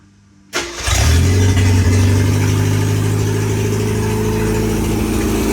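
Starts instantly, flares briefly, then drops to a smooth, low, even idle with a steady beat; healthy start.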